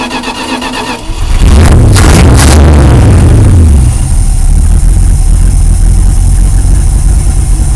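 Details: Dodge RV with 360 V8 after idle adjustment and reattaching a dangling spark plug wire: cranks, catches within a second, flares up and settles into a strong, steady low rumble; starts and runs normally.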